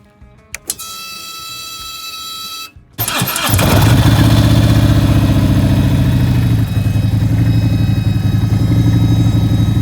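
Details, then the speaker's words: Harley-Davidson with 30k miles, running 91+ octane: loud steady high whine at key-on before engine fires and idles; owner believes fuel pump straining against clogged in-tank fuel filter, replacing filter fixed it. "hat I have a really bad sound coming from my fuel pump is what I believe um I was going to replace the whole fuel pump but decided that I'm going to start with something simple and it's a fuel pump filter"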